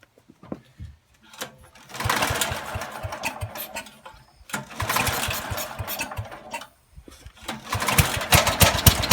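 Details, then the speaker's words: Kohler K181 8 hp engine on a leaf vacuum, recoil-started on ether in the carb with no gas tank fitted and points ignition. Sputtering bursts of running that die and catch again; runs only on starting fluid. "yeah it will run we just got to get the gas tank hooked up so yeah that's very promising"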